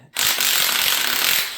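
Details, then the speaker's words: 1964 Rambler V8 water pump removed and shaft turned by hand, giving a dry gritty rasp with faint uneven pulsing; sealed bearing visible, suspected worn water pump bearing. "That sounds more like bearings to me. Now the fan's off. Yeah, that doesn't sound good."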